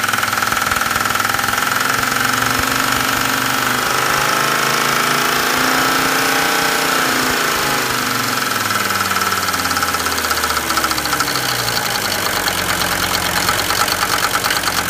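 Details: Mercedes 190D turbo diesel, weeks after injector O-ring seals were replaced: harsh uneven nailing/knocking clatter, rough hunting idle, heavy smoke, engine shaking on return to idle; injection-related cause suspected, unconfirmed.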